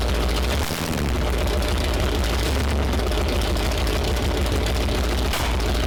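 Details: Freshly built Mopar 360 V8 from a 1974 Plymouth Duster, hydraulic flat-tappet cam, first fire-up for break-in: loud, rough, lumpy, stumbling roar; misfiring and timing unsettable because two spark plug wires were swapped.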